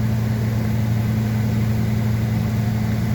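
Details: 2005 Ford F250 6.8L Triton V10 3-valve with 599,000 miles that will not accelerate: deep, shaky idle with a slightly uneven, lumpy beat from a misfire, code P0354 (ignition coil D circuit), traced to a poor ignition coil connection.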